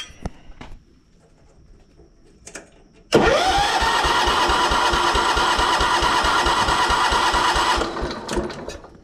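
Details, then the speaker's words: 1983 John Deere 210 lawn tractor, sat unused for years, carburetor and air filter removed, battery charged; steady starter cranking about three turns a second, never firing; no fuel from pump outlet hose, owner suspects clogged fuel pump or line to tank. "The fuel should be pumping out of this hose when I start it, and it's not."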